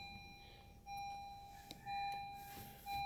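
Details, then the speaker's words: 2016 Honda Civic EX push-button start: dash lights up with a chime and electronic tones but no starter cranking at all; no-crank traced by electrical diagnosis to a faulty neutral safety switch, replaced. "so that's what is the problem according to the electric diagnostic is the neutral safety switch to be needs to be replaced"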